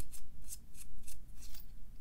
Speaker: that is much more tolerable